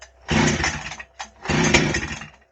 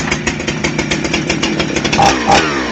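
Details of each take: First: Husqvarna 266XP chainsaw being started for tuning after chain and bar service, fresh fuel added, spark confirmed: two brief bursts of firing on the pull, each dying within a second; fires but won't keep running, possibly still pulling fuel in. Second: Husqvarna 266XP chainsaw started for tuning after chain sharpening and bar service: catches and revs in short bursts falling back to a buzzy idle, then keeps running on its own; started right up, oiler pumping well, runs fine.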